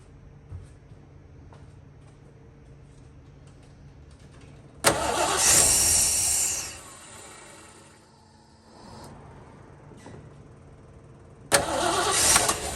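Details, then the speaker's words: 1970 Ford Bronco, manual, sat for years, restart attempt after re-priming via key cycle: two short cranking bursts each catching briefly and dying; starts but won't stay running, owner suspects it needs more fuel. "Okay, I think it needs more fuel. That's all I think."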